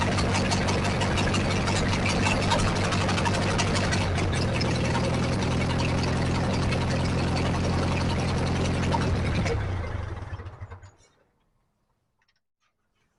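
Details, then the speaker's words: 1944 Ford 2N four-cylinder tractor running with coolant after water passages were flushed, engine now cool to the touch; steady, even beat about four firings a second at low idle, no knocks, then shuts down; healthy. "okay well I think it's working because this engine is so cool to the touch when we were running it uh the other day without any water this was really hot but today nice and cool"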